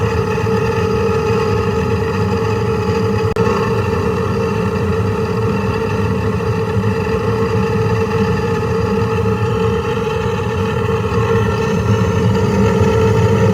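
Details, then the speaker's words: Furnace inducer motor running after a no-heat call, heating at the time: constant loud drone with rough, gravelly rumble; telltale bad inducer near failure, could quit any time, likely not to restart once it shuts off. "So I had a call for no heat, and when I got here, the client had heat, but that is a telltale sign of a bad inducer. There's no telling how long it's going to last."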